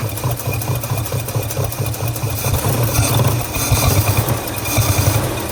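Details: Long-abandoned 1948 Studebaker Champion flathead six, first start: uneven, lumpy low chuffing with irregular dropped beats at idle. At least one cylinder is dead; possibly an intake valve, puffing out of the carburetor.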